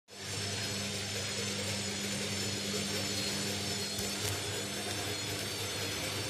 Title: INDESIT mini unbalanced spin with bad bearings